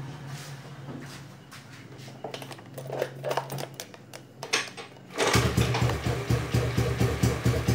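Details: Honda Beat carbureted scooter after a service, weak/worn-out battery: weak cranking at first, then it catches and settles into a steady even idle; runs fine.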